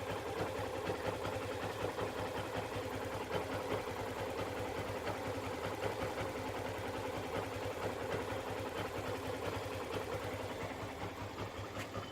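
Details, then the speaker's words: 2015 Yamaha FZ V2.0 single-cylinder, two years old, which made an abnormal idle noise that went away with the clutch pulled; after the idle RPM was raised slightly it idles steady, even and smooth, though mileage dropped from 49 to 46 km/l. "अभी ideal speed में एडजस्ट किया है, इसका मतलब थोड़ा आरपीएम बढ़ाया था। इंजन का साउंड नॉर्मल हो गया, लेकिन माइलेज 2-3 किलोमीटर कम हो गया।"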